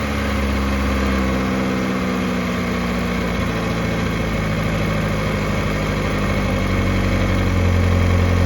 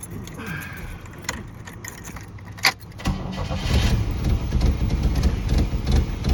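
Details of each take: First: 1986 Pontiac Fiero after a tune-up with a new fuel filter and work on the idle controller pintle: the warm engine settles to a smooth, even idle of about 800 rpm with no misses and good oil pressure. Normal idle. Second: 1986 Pontiac Fiero, ignition tune-up, restarted after reassembly; the owner questions whether a distributor rotor that seized in place was wrong or badly made. It fires and runs lumpy, stumbling and sputtering without settling. Rough running after start, cause unconfirmed.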